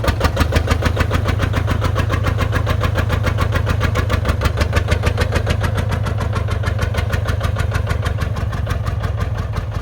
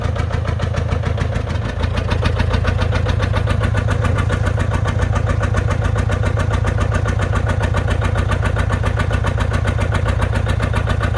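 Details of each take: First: John Deere 830 Industrial two-cylinder diesel, belt-pulley started by another tractor, first run in at least 20 years: uneven chuffing about 140 beats a minute evening out as number one cylinder begins firing. Misfire clearing. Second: John Deere 830 Industrial diesel, first start in at least 20 years after water pump repair and fuel bleeding, belt-started: even, steady beat about 2.5 pulses a second once number one cylinder fires; both cylinders running smoothly.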